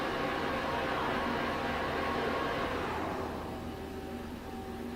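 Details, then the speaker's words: 2010 Mighty Viper VT36CL-1500 CNC lathe with a 12-station turret, after spindle runs at 200-460 RPM; smooth, even drive hum easing off as the axis stops, no knocks or grinding; Z and X axis travel sound good. "Z-axis sounds good. So does X."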